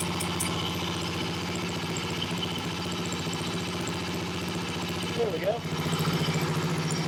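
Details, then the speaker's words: Honda CB77 Superhawk twin, stored for years, oil full, idling with a rough, regular clatter about three to four times a second over the exhaust beat. Owner suspects the kickstart lever is not returning all the way; the source is unconfirmed. "it kind of sounds like the the Kickstart lever may not be returning all the way"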